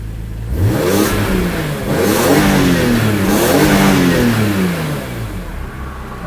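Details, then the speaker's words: BMW (E85/E86 Z4M or E46 M3) after replacing alternator voltage regulator and battery: two clean throttle blips rise and fall smoothly and settle to even idle; earlier problem is gone. "as you can see, the problem is not there anymore. So we're good to go."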